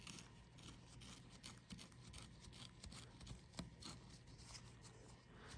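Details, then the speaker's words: Failed Southbend Stage 3 Endurance clutch throwout bearing from an MK7 GTI, turned by hand off the car: uneven scratchy rasping, rough and gritty from grime and oil rather than worn-out bearings. "doesn't even like turn smoothly it's just grimy as far as the throwout bearing bearings inside they're not completely worn out compared to my last one"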